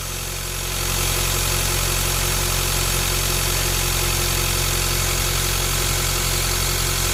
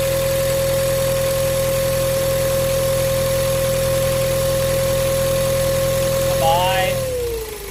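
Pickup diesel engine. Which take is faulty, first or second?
second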